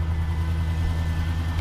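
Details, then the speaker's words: 1990 Jeep Grand Wagoneer FSJ after engine swap and FiTech fuel injection install, thirty-degree morning: low, steady, even cold idle rumble, no misses or knocks; normal cold idle warming up. "there we go hey God love fuel-injection how long would that have taken with a carburetor"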